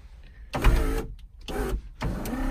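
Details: 1980s Ferrari 308 power windows after sitting about 20 years, checked while reassembling the door cards: three short, smooth motor whirs of about half a second each, steady pitch, no grinding; window motors working fine.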